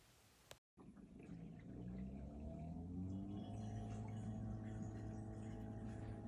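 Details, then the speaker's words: Bosch Ascenta SHE3ARF6UC/21 dishwasher drain cycle, abnormal and later throwing E24/E25 codes. A whir climbs in pitch and settles into a steady hum like a plane taking off; likely a failing drain pump. "so you can hear the worring sound that is not normal"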